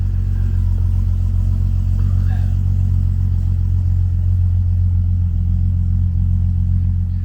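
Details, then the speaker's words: Nissan Skyline GTR R33 RB26 running on a newly installed FuelTech ECU, timing calibrated; deep, steady, even idle rumble with no misses, hunting or surges, running very smooth; normal idle. "Quais foram as tuas percepções, assim, do funcionamento do carro e o que tu acha? O carro tá funcionando muito liso."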